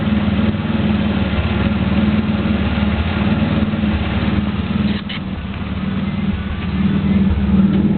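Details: 3.8 V6 Camaro with a bad spark plug, idling and revving: uneven, lumpy exhaust pulse that breaks up several times with stumbles and dips, a misfiring cylinder.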